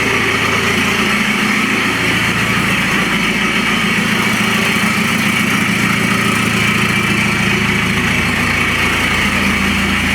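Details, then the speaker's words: Citroën C5 diesel with the pollution light on, where the owner suspects a clogged DPF or catalyst, idling with the whole exhaust removed: a loud, raw idle with a harsh, raspy note and a steady beat, nothing muffling it. "Et là quand j'ai retiré l'échappement intégral, il y a ce bruit là. Donc là actuellement il est sorti de gaz et ça reste là."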